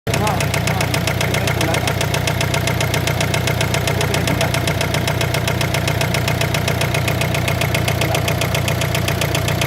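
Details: Warm idling engine damaged by overheating, coolant entered the cylinder, damaging head gasket and connecting rod bearings: steady deep knock about two and a half times a second from a worn rod bearing.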